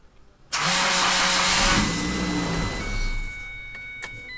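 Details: Ford Ranger cranking: a harsh, rasping whir from the starter motor, whose armature drags against the pole shoes; the starter is then removed to diagnose it.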